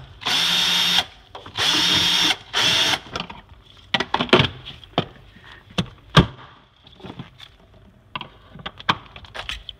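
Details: Samsung refrigerator: loud harsh buzzing in roughly one-second bursts with clicks and rattles between; intermittent buzzing keeping owner awake.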